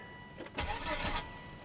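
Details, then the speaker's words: 2005 Volvo V70, 212,000 miles, towed in after sputtering and dying: brief even cranking about half a second, no firing; crank no-start because fuel pump gets no power, pump relay not responding to ECM command. "fuel pump relay on start nothing stop what is the hint hint fuel pump"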